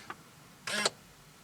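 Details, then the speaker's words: C5 Corvette steering column lock commanded to unlock with a Tech2 scan tool, key off: short whirring buzz with faint clicks as the actuator cycles, after which the wheel moves; normal steering column lock actuation. "we're going to hit unlock and you can hear that actually recycle and now the wheel moves back and forth"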